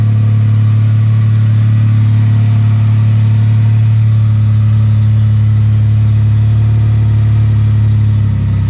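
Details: 1998 Toyota Tacoma SR5 3.4 V6, high mileage, idling after catalytic converter replacement (old gaskets burnt out, leaking): deep steady hum, smooth low exhaust note, no ticking or puffing; exhaust sealed, normal idle.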